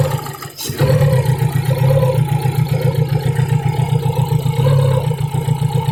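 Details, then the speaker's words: Fiat Punto idle misfire check. Uneven, lumpy, stumbling pulse near four beats a second. Pulling the cylinder 3 lead makes the shaking severe, so cylinder 3 works. A leak tester later finds a high-voltage lead leaking. "When the third cylinder is removed, the shaking becomes severe, indicating that the third cylinder"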